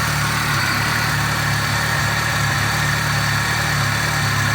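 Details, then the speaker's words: VAZ 2.0-litre engine, cold idle, 5W50 oil, cold oil pressure 3.2 bar, Vesta Federal Mogul pistons: steady, even idle with smooth low hum, no knocking or ticking; runs fine cold. "Но прямо сейчас, пока двигатель холодный , он работает идеально."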